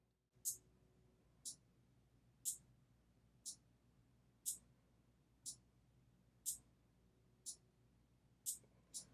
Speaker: I hope you can hear that clicking on and off that's the five relays clicking on and off so we're good to go